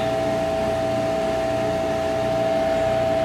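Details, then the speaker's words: HTP Munchkin boiler flame fault: after reset, the exhaust induction blower whines steadily and gas valve should click, but no whoosh of flame follows; boiler fails to ignite. "we're going to watch this port as it lights goes the uh exhaust flower induction blower and hear it click as the gas valve opens let's see if we see a flame come [Music] on that decided it doesn't want to try"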